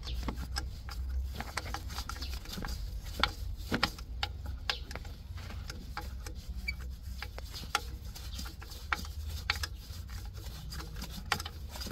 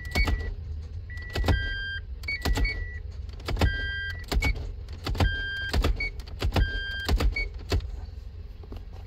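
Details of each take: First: Toyota MMT (Aisin semi-automatic) gearbox with P0810, actuator turned slowly by hand with screwdriver, motor removed: scratchy, uneven clicking catching in steps, not smooth; clutch release bearing sleeve binding inside the clutch, causing repeat clutch actuator failures. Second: Toyota MMT semi-automatic gearbox (Aisin) clutch actuator after repair, set P0810; electric motor whirs and clicks in repeated bursts between test beeps during real-time computer test, reading minus 7.5, clutch pulls very easily; normal clutch actuator operation.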